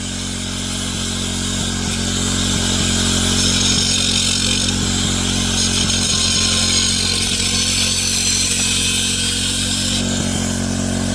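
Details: MVP 49cc Chinese two-stroke scooter after upgraded carburetor, new intake, spark plug and coil, fuel from a temporary external tank: buzzes smoothly and evenly, pitch rising as it revs, no misfires or knocks; running normally.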